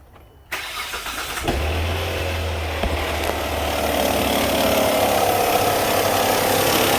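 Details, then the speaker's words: 2004 Hyundai Santa Fe 2.7L, customer complains of engine noise: rapid flapping clatter at idle, the belt flopping and slapping. "yeah that's your noise right there is the belt flopping and slapping look I mean see the other side while I'm doing this you can see it moving"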